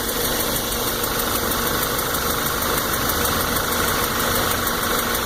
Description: New 2014 GTI, 1,000 miles, ticking sound from lower part of the engine and increases with RPM's.